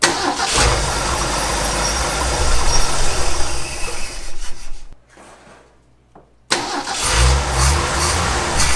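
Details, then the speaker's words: 1965 Ford F250 300 six, parked about 17 years, restarted after tapping the carburetor for a suspected stuck float: catches and runs briefly then dies before recranking; no valve train clatter or rod knock heard; fuel supply fault suspected. "we're either not getting fuel up to the carburetor or float is stuck we're going with the float stuck let's just tap on it"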